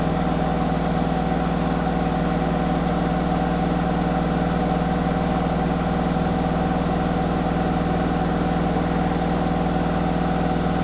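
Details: Zanussi ZWH7148P washing machine during spin: steady loud drum hum with an even thump about three times a second; knocking, cause not yet found.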